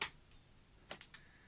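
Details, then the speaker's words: Tascam DA-45HR 24-bit DAT recorder under repair, on isolated mains, after the cassette micro switch was repositioned. A sharp click, then three light clicks; the cassette didn't load and the switch wasn't actuated, likely because the board, without its plastic packing, sticks out and collides. "it's not happy it sounds like it didn't go in didn't operate this switch"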